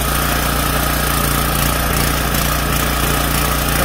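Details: Junkyard power washer's small single-cylinder engine, oil added and carburetor cleaned, running on choke: steady, even speed with no misses or knocks; runs normally.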